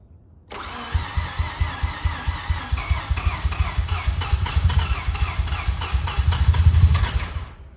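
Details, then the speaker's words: Rebuilt Mazda FD RX-7 rotary, under 100 miles since rebuild but sat a while, low compression with possible leak: catches on crank, runs ragged and lumpy several seconds then dies; MAP sensor hose later found disconnected from upper intake, cause not confirmed. "like it starts and then dies i don't oh well we'll find out"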